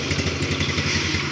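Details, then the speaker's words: Used motorcycle for sale that is hard to start on the electric starter but starts first kick on the kickstarter: steady, even low thump at idle with a regular quick pulse and no knocks or misses; sounds smooth. "Suaranya sih halus ya."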